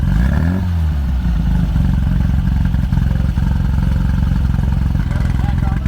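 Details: 1972 VW Super Beetle, replacement engine of unknown size (possibly 1641, reportedly SK8 cam): lumpy, uneven idle with stumbling low thump and irregular beat; misfiring from bad points and plugs.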